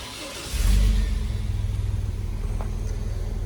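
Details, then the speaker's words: Chevy S10 Blazer warm start after pinched Y-pipe repair and muffler delete: catches quickly, brief rev, then soft, even low idle; quiet exhaust, no rattles or puffing; normal. "As a form of reference, this is what a warm start sounds like now."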